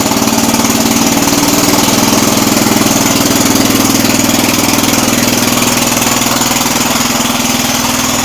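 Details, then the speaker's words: Jacobsen Chief 800 garden tractor, warming up for carburettor adjustment: loud, lumpy, uneven chugging idle about twice a second, struggling to stay running; owner suspects it's running too rich. "See, it doesn't want to stay running. I think it's running too rich."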